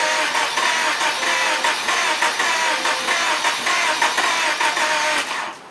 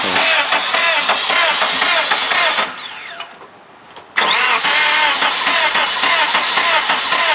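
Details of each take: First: Car sat 6 to 9 months; revived 5-year-old battery once at 0.75 V. Cranked in gear to jump the car, it rolled as the brake freed. Several cranking bursts, then the engine catches and runs briefly before cutting off; starter turns it strongly. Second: Car sat about a year by a barn through a freezing winter; its 5-year-old battery, found at 0.75 V, was revived by charge/discharge cycles. Three long bursts of fast starter whirring with pauses, never catching: cranks but won't fire. Cause unconfirmed; possibly dry cylinders.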